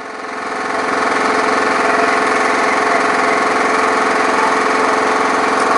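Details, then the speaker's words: Briggs & Stratton lawn mower engine, oil level a little high, possibly water in carburetor: climbs to hard fast over-revving run with uneven banging thump about three beats a second, slight smoke; rough running, cause unclear. "I don't really like the way it's running there's a little bit of smoke but I know that uh the oil level's a little high sounds like something's banging a little bit and it's kind of"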